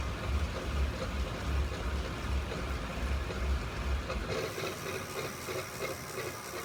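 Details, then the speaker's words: Tacx Flux smart trainer while coasting: dry scrape over a low rhythmic thump about 2.5 per second, something rubbing inside the trainer; unit returned to supplier for investigation. "could you hear that scraping sound that's not good"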